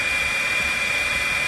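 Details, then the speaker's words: RV furnace sail switch on bench, hair dryer simulating blower airflow, ohmmeter in continuity mode: steady high beep over the dryer rush as the arm presses the plastic switch, about 0.5 ohm; switch closes normally. "we'll watch this arm right here and see if it can move enough now to press in this small plastic switch, which will make contact in between these two connection points on the sail switch."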